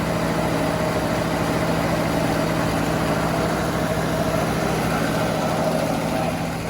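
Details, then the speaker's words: 1982 Holden WB panel van carburettor engine, long-sitting, just started on a jury-rigged fuel tank: steady even idle sitting a bit high; owner thinks the choke may be causing it. "a bit high, but it could be the choke on it, I guess."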